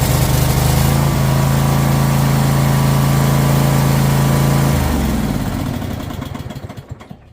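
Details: Troy-Bilt Mustang XP zero-turn mower, started on choke after work on throttle stuck on high idle: steady even engine drone at fixed speed, then shuts off and winds down; runs smoothly.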